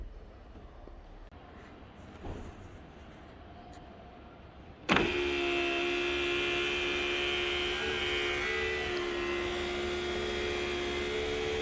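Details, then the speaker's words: Sunroof motor starts after a quiet pause and runs with a steady high squeak from a dry hard-rubber contact where it touches the glass; fix is a very thin layer of red or yellowish lithium grease, not black grease. "Okay, you hear that squeak? I'm gonna show you how to solve that. Okay, where did that squeak come from? Here. Okay, it came from here and here."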